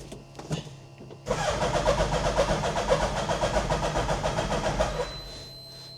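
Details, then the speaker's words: Hayabusa-engined Nissan Micra, first start via hot-wired switch, some choke: sluggish, uneven starter churn about four turns a second, labouring and never catching; battery dead, charging not yet verified. "That battery is dying and all in it. Yep. battery is dead."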